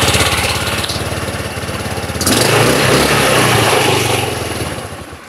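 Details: Rusi Flair scooter once fuel reaches the carburetor after starvation despite a three-bar fuel gauge: catches, runs with an even beat, picks up briefly, then settles; normal idle.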